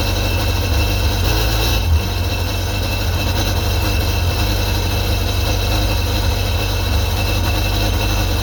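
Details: 2001 Sea-Doo GTX 951 DI two-stroke jet ski after rebuild, running on the flushing hose: steady, even low rumble with constant exhaust beat, no knocks or misses; normal idle, sounds healthy.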